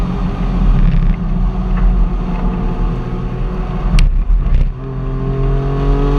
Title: Cyl 5&6 Misfire to Limp Mode @ Start at 9:20 in